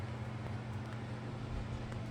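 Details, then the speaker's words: 42" Harbor Breeze Armitage ceiling fan on low speed: low steady hum, quiet with no rattle or ticking; it gets noisy and buzzes on medium and high, blamed on a missing seal on the light globe. "Runs it runs pretty silent on low, but it runs pretty noisy on medium and high"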